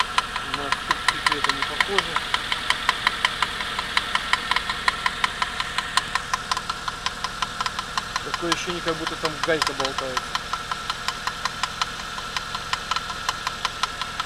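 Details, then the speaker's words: 2008 Suzuki J20A 2.0 inline-four, 87,000 km: sharp, slightly uneven metallic knock about three per second at cold idle. It appeared two weeks ago, lasts 3–5 minutes and vanishes when warm. The owner says it doesn't sound like chains and suspects spun crank bearings or piston skirt slap. "Вот на холодный такой стук. На горячий он пропадет, его не будет."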